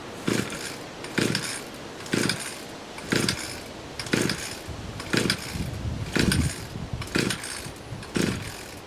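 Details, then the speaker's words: Two-stroke lawnmower deliberately run nearly dry, primer bulb almost empty: sharp bursts about once a second that fire weakly and die each time; fuel starvation, engine won't keep running, needs gas. "yeah I think she's thirsty I got a little squirt for another shot yeah it's gonna need gas"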